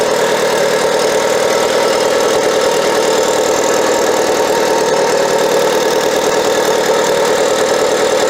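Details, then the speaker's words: Mitsubishi Evo 8 first fire after Forced Performance Red turbo install, dump-to-atmosphere wastegate: steady idle under loud constant rushing hiss, air leaking past wastegate; wastegate leak. "Okay guys, The first fire didn't go as planned. You saw I had a wastegate leak. I'm going to have to try to figure out why it's leaking."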